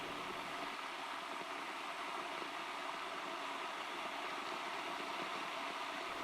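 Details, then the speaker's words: Two-year-old electric water heater (boiler) while heating, not while water flows: steady kettle-like hiss and rumble; limescale buildup suspected, to be drained, disassembled and cleaned. "От такий звук на цьому нагрівачі. Наче такий чайник трохи інший, але дуже схожий. Скоріш за все, там є вже накип."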